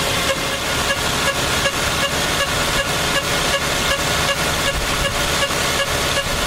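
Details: Lexus engine running with a sharp, regular tick and short chirp, about two to three a second; owner asks what the strange engine sound is, and the cause is unidentified.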